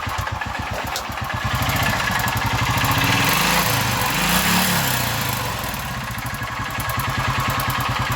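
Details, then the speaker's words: Honda Titan single-cylinder motorcycle idling: loud harsh repeating knock and clatter about four beats a second; mechanic suspects valve tappet noise plus possible connecting rod knock, linked to old oil not being changed. "Deu um problema aqui no motor, um barulho muito feio, né? Barulho de tucho e outro barulho aí, que nem força aí, biela."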